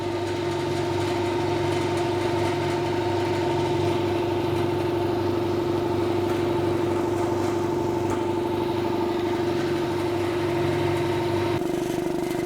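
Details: 200 L 3 hp single-phase belt-driven air compressor after service with the cage refitted. It is quieter, with a steady, even hum and constant mid tone and no belt slapping or squeal: running smoothly.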